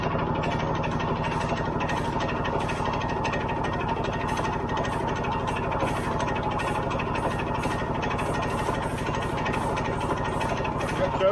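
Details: Early-1980s Yamaha G1 two-stroke barn find with a questionable fuel system, started after refilling the carburetor bowl: quick, even popping at a steady idle with no misses or rattles; running cleanly now it's getting fuel.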